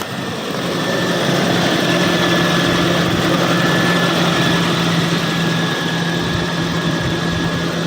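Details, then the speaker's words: Toyota Kijang LGX EFI after the fuel pump jumper was removed; the engine starts immediately and idles steadily and evenly with a constant low hum and no knocks or stumbles, healthy. "Coba kita hidupin Nah langsung hidup Mantap"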